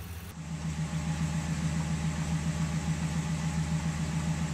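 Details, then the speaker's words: Cold start of a 2002 Ford F150 5.4 L 2V V8 after timing chain, oil pump and exhaust gasket replacement: steady hollow knock with engine speed over exhaust drone; owner suspects piston slap, not confirmed. "there's only one thing left that's making this racket and that's piston slap"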